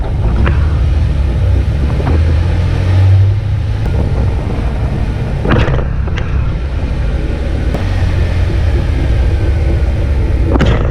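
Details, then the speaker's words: Jeep Wrangler driven over several speed bumps, front shock bushings (Rough Country) worn: dull thuds over steady road rumble, about seven scattered knocks at the bumps; suspension clunk, source unconfirmed, owner suspected heavy front bumper U-clips. "Let me give you guys an example of what it sounds like when I go over a handful of speed bumps."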